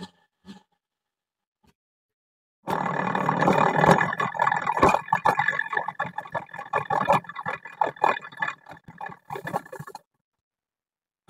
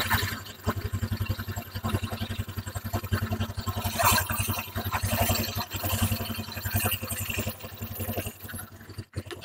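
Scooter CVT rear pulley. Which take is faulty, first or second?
first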